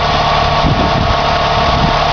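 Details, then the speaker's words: 1990 Dodge Daytona ES Turbo 2.5, stock, automatic, 108k miles, rebuilt top end, forged connecting rods, just started cold, not revved: steady, even idle with no misses, knocks or ticks; engine runs smooth and healthy. "it's pretty damn good not going to rev it up so just started it up"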